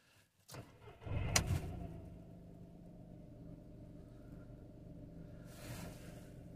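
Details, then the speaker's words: VW Polo after a cylinder 1 misfire (code 16685/P0301, engine shaking), following replacement of the ignition coils: a quick start settling into a smooth, even idle, and the fault code cleared on its own. "look at that we didn't even have to put our diagnostic machine back in just cleared on its own and we got a nice smooth idle smooth engine all good"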